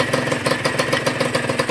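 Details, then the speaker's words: Honda NSR150RR two-stroke engine test: crisp, even idle with steady regular pops about eight per second, no rattle; quiet and healthy, the louder exhaust pipe fitted can sound like an exhaust leak. "มาสไรเดอร์อะไรต่างๆเงียบคือมาเงียบกริบนะครับ"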